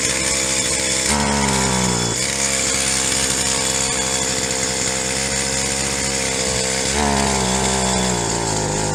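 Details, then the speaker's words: Stihl HL 75K hedge trimmer two-stroke after carburettor rebuild and priming: revs up and falls back, never holding clean at top speed; high-speed mixture circuit of the carburettor suspected plugged, needs cleaning again. "so it sounds like the hi mixture circuit on the carburetors plugged up so we're gonna have to take it apart again and clean it out"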